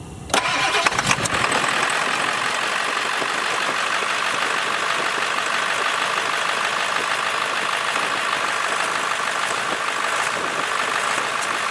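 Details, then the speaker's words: 1999 Ford F350 7.3 Powerstroke diesel starting and idling: a loud, raspy hiss and chuff from a bad exhaust leak at a loose clamp behind the turbo. "All right, Zach, go and start it real quick. Let's show them how bad this leak is. This thing leaks worse than Snowden."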